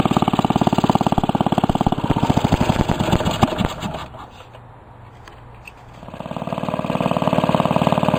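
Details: Restored 1945 Briggs & Stratton Model WMB single-cylinder engine with a rope starter, run after repainting; steady even thump that dips briefly and picks back up, with no misses or knocks; normal running.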